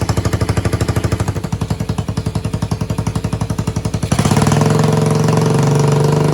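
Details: Yamaha 225DR Tri-Moto under restoration, cold, choke given by hand with a little throttle: even single-cylinder thumping at about three beats a second, then picking up into a smoother, faster drone; engine runs properly, though rear swing-arm bearings are worn out.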